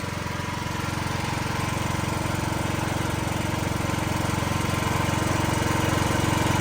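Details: Building backup generator, usually run in eco mode, during monthly testing with building transferred to it, fans pulling hot air over the engine: even, steady beat at constant speed, no misses or knocks; normal running under load.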